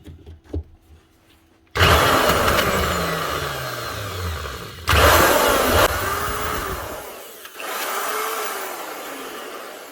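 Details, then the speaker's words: 2008 Trend T4EL 110-volt router, 17 years old, switched on in short bursts: high whine under a harsh, rough grinding rush from worn bearings; motor otherwise sounds alright, bearings and brushes to be replaced. "Actually done quite a bit of work. I think we really know what the problem is here already."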